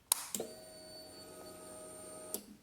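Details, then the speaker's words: 2006 Honda CBR600RR that cranks but will not start; fuses good, lithium battery about two months old and fully charged. A relay click, then a steady roughly two-second hum stopping with another click: normal fuel pump prime. "can hear the fuel pump Prime I'll do it again you can hear the relay"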